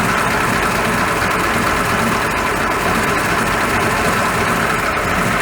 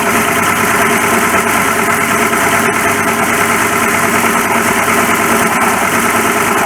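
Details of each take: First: 1941 Ford pickup after noisy water pump repaired, idling after a 10-mile test drive; steady, even idle with no ticking, squeal or rattle, nice and quiet; normal idle. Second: 1941 Ford pickup at idle, noise came on suddenly and worsened: rough whirring growl over the engine beat that comes and goes. Worn water pump bearing.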